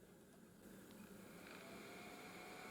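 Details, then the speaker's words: LED H4 9003 6000K COB headlight bulb for a 2000 Citroen Xsara Picasso 2.0HDi: faint, steady whir with a soft high tone as the bulb's small cooling fan spins normally. "so - there plus there yes you can hear the fan spinning"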